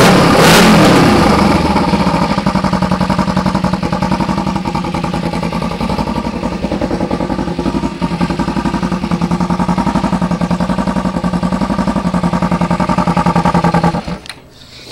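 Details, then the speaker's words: 2008 Kawasaki EX250 chassis with an EX500 engine swap: steady, even engine beat around 3,500 rpm with smooth exhaust, no knocking, banging or tapping; engine sounds healthy. "sounds good I don't really hear me knocking banging and tapping and going on in there so that's always nice to hear"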